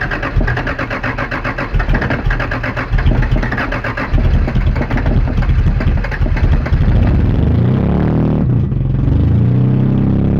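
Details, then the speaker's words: 1982 Celica Supra at first run, with fuel leaking at the filler neck: lumpy running that sags and nearly dies between throttle blips. It won't hold idle and stalls but takes gas; owner wonders if timing is off. "it doesn't want to idle but it does take gas I wonder if the timing's off or something"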